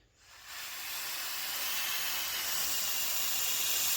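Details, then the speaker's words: Mitsubishi Evo 5 GSR wastegate actuator, hand-pressurised: steady high airy hiss from rust-damaged leaking diaphragm, bleeding off pressure so the wastegate opens late; fixed by modifying an Evo 9 actuator to fit. "That should be solid that. It should not be hissing. So that's the leaking air as you can see"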